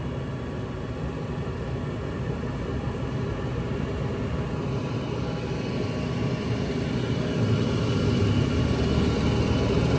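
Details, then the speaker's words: Goodman gas furnace on no-heat call with flame rollout limit code (six flashes), restart check: steady burner roar rising smoothly as the blower fan kicks on, no flutter; no flame rollout, running normally. "guess the fan just turned on the blower fan just turned on and uh yeah it's still looking good"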